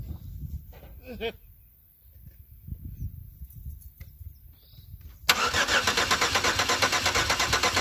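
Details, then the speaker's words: 2004 Chevy Impala that won't start; the fuel pump can be heard running but may not deliver enough fuel. Starter cranks steadily about twice a second with no firing or catch, before a starting fluid test. "okay yeah fallout won't start and i can hear the fuel pump running but i'm not sure if it's adequate"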